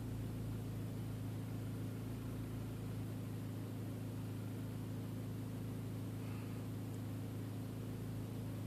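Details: 1.8T engine at idle: low steady idle with slightly uneven, lumpy beat; rough idle, cause not pinned down.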